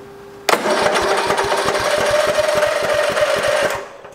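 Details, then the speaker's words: Lawn tractor: small engine cranks with even pulses on the starter but never catches, apparently not getting fuel; owner suspects the fuel shutoff solenoid, which didn't click when the key was turned. "sounds like it's not getting any fuel so i'm gonna look into this a little more"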